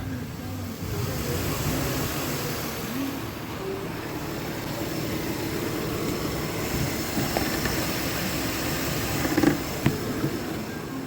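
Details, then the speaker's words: Nissan Pathfinder 4.0L VQ40DE, after oil filter replaced and oil topped up, warming at idle: quiet, even idle with the buzzing/whining gone; normal idle. "doesn't sound like the noise is there anymore at idle so we're going to see if the noise comes back after revving it"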